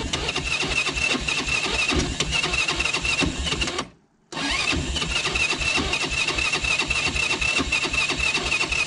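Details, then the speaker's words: Quad with an engine not yet rebuilt: rough, uneven chugging that cuts out and catches again; starting is laborious and takes several tries, the automatic choke works poorly, and it smokes heavily. Cause not confirmed. "alors je sais que le démarrage est laborieux un petit peu qu'il faut faire plusieurs fois"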